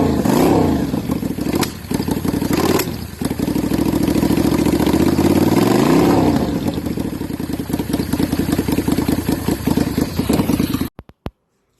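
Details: Yamaha Virago XV535 V-twin on test 2 of a 3D-printed single-carb conversion inlet manifold, choke held up by hand because it can't be locked: revs surge and sag unevenly without settling, then it cuts out; likely a mixture problem, the test failed.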